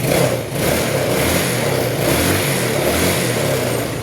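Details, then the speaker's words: Yamaha Mio Sporty scooter with hard starting and an unstable idle; idle screw adjusted, now a steady, even idle with no hunting or misses. "May may mali sa pihit. Ayan, sakto lang 'yung menor."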